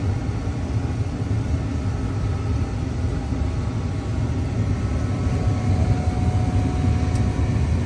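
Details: Residential gas furnace after gas control valve replacement for no-heat call: deep, even burner rumble with steady flame, a soft steady tone rising as the blower energizes; normal operation.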